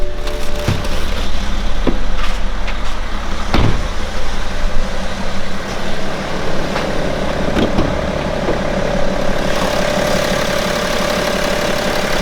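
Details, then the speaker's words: 2011 BMW X5 35d M57N2 diesel at 130k miles after timing chain repair, fully assembled with fluids topped up, no leaks, near operating temperature: a smooth, even low-rumble idle with no knocks or rattles; the engine runs healthy. "And it's running smooth in my opinion. So everything assembled, everything seems fine."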